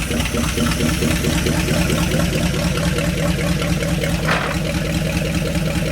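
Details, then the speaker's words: 1970 Dodge Power Wagon 200 Dude V8 plow truck, parked 40 years, first runs after revival; steady, even idle with a regular firing beat, no knocking. Owner thinks the point gap may be too wide, making it run a little funny. "I think my point gap might be a little wide I think that's why it's kind of running a little funny"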